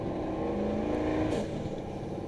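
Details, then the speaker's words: Turbo truck driving cold in town, window down: light boost of a couple pounds at only 30% throttle, then a rapid fluttering chatter the moment the throttle lifts, turbo compressor surge. "you can hear a compressor surge the minute I let out. It's only 30% throttle, and I'm in boost."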